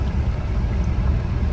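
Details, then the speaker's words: 1990 Mercedes 300E (W124), after fuel pump, fuel filter, battery, hose and OVP relay replacement: low engine rumble with uneven pulses and occasional stumble, still skipping at lower rpm; misfire cause not yet diagnosed. "so currently I'm still getting my skipping I don't love that at lower RPMs it's skipping out a little bit"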